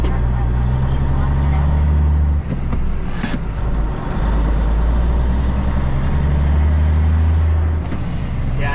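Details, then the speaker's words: Cabover diesel truck with new alternator belts, pulling away under load: deep diesel drone, belts not squealing or only slightly, though they squealed a little when revved; accessory belts sound normal. "don't take spilling at all. That's what I'm talking about. Maybe they might be a little bit, but They don't sound bad."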